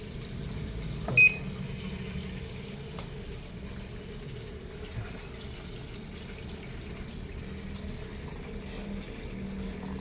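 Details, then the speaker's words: American Home automatic washing machine after controller board replacement for a no-power fault, wash test on lowest water level with weak tap pressure: quiet steady trickle filling the tub over a low hum, no knocks or straining; normal water fill. "nint siya na mapuno ng tubig sa water level na low lang yan para mabilis siyang ikot"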